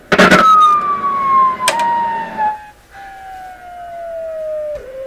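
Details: PYE 39HC shortwave receiver set on AM, 6V6 output tube under test: a loud siren-like squeal slides down from about 1.3 kHz to 600 Hz, an unstable oscillation of unknown cause.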